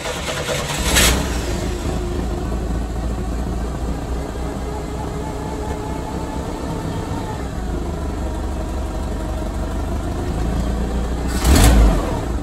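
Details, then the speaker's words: 1986 Chevy S10 Blazer 2.5L, after runaway-idle fix by reseating the IAC pintle (vacuum lines, TPS, MAP also checked): catches and settles to a fairly steady but too-low idle with a short blip; idle much improved, still relearning. "and maybe it's fixed now it's idling too low but i'm hoping a little bit more time let it run"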